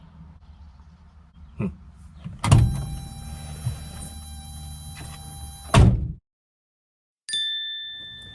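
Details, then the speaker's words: Heavy metallic clunks with ringing tail as steering is worked, coming from passenger side: worn, bad idler arm causing steering clank. "In case that intro didn't make it painfully obvious, that clanking sound is bad. Clanking sound's coming from this passenger side, right about here. That's an idler arm. It's bad."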